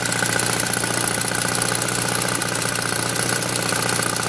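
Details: Saab 9000 Aero: fast, light ticking about four a second over a steady idle, a clear top-end tick of uncertain source. Engine ticking.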